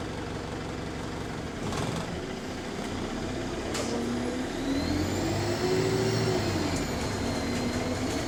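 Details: Bus RTP DXE30354 on route H37 to Hounslow, an MMC, under way: thin whistle rising and falling with engine speed over low diesel rumble; recorder suspects a turbo whine or leak, unconfirmed.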